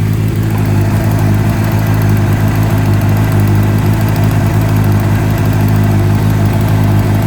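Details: 2009 Honda CBR600RR at steady idle: fast light metallic clicking over the exhaust note, noticed a few weeks earlier; exhaust header leak, fix is checking stud/nut torque (about 10 lb-ft) or new copper header gaskets.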